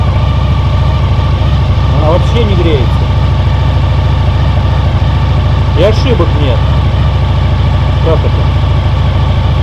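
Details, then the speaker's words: 2000 Honda VFR800 V4, injected and restricted, first start after winter storage on old fuel. Deep, lumpy, uneven idle running on three cylinders. One cylinder is completely dead with a cold exhaust pipe. "В общем, один цилиндр не работает совсем. Труба абсолютно холодная."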